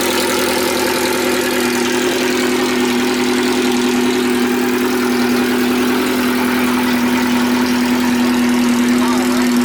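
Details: Race car idling after a fresh rebuilt cylinder head (new valves, valve seals, keepers) and a valve adjustment, following months of repair after breaking it: steady even idle, no ticks or knocks, starts right up, sounds healthy.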